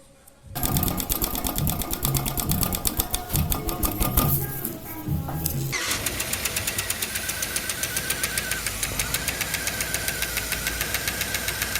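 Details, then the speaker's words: Petrol engine at idle with rapid, even ticking, usually heard in the mornings: the camshaft-driven hydraulic rocker arms/lifters that open and close the valves have drained of oil. "otro sonido también del motor que usualmente se presenta en las mañanas son los balancines del motor Estos son accionados por el árbol de y se encargan de abrir y cerrar las válvulas como son hidráulicos a veces se descargan de aceite y comienzan a"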